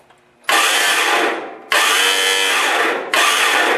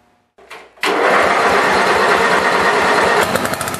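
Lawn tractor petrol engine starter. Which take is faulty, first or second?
first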